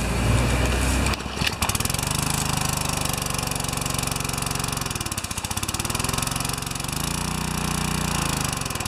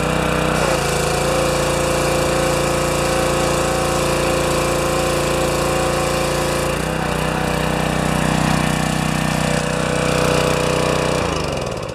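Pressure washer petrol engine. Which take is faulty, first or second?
first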